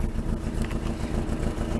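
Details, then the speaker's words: Rover P6, warmed up, running a little lumpy: rough uneven note with crackling, banging chuff on each firing pulse heard around the exhaust system; exhaust needs replacing; exhaust blow. "I'm gonna go all this crackling banging around everywhere and I said the exhaust needs really doing"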